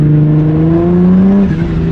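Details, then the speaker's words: Turbocharged Nismo 350Z under load in a higher gear, old clutch: revs climb in a steady rising drone while road speed lags; clutch slipping, not grabbing the engine, before clutch replacement. "hear that like it just slipping like yes it's not not hooking as far as the uh you know the clutch is not Gra grabbing the engine"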